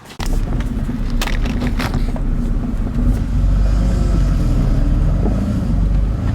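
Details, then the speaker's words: 1999 BMW E46 328i, on a parking-lot test drive: loose, uneven clunks and bangs from underneath over a low drive rumble, like the driveshaft banging around; driveshaft carrier bearing failure suspected. "I don't know the hell it is sounds like a damn Drive shots banging around I don't know what the hell that is"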